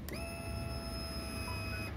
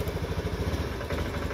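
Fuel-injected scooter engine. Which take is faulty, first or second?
second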